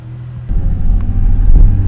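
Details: Nissan 350Z after a new fuel pump was installed to replace the failed one; the engine catches and climbs into a smooth, deep rev with no stumble; running healthy again.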